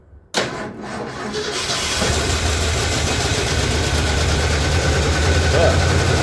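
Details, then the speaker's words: 1977 Ford F-250 Dentside 4WD, revived after sitting 15+ years, run with a little gas added. It settles into idle with a light, fast tick, about three or four per second, over the rumble. Judged a tick, not a knock; a valve-cover (top-end) issue is suspected, not confirmed. "well she's definitely ticking but she runs it sounds like a tick and not a knock so might be able to just pull in valve covers and see which one is giving us an issue"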